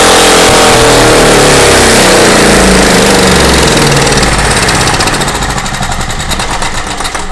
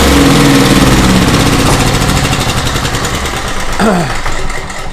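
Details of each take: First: Craftsman portable generator, long unused and possibly tinkered with: loud, high-pitched racing far above normal speed that then sags; over-revving from misadjusted governor. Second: Small Craftsman single-cylinder portable generator, reassembled, cranked on choke: steady chug about four beats a second, even exhaust note, no knocks or misses; normal running (crankcase breather tube missing).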